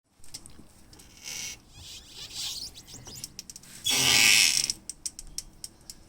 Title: Morgan 3 wheeler M3W squeaky noise